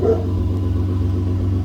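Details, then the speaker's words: 2015 Ford F-150 Lariat, 3.5L EcoBoost, just fitted with a Corsa exhaust with dual tips and a cold air intake: short rev, quiet, deep, mellow exhaust tone with slight turbo whistle, no rasp or drone; healthy. "actually very quiet which is perfect that's exactly what I wanted a very nice just deep tone mellow exhaust note nothing crazy and you do get a little bit of Turbo whistle out of it"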